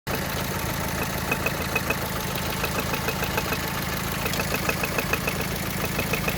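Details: Light, fairly quick ticking of a couple of ticks a second over a steady idle, heard only at idle and not while driving, slowly growing louder. The owner suspects rod bearing damage; the cause is unconfirmed.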